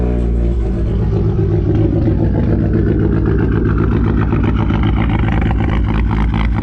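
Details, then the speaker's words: 2012 Fiat Abarth just after startup: an uneven, stumbling idle with irregular low thumps breaking the rhythm, a misfire with no set of codes pointing to it. Owner has replaced many small parts; cause not confirmed. "the car after some problems one of the biggest issue is the car of a misfire"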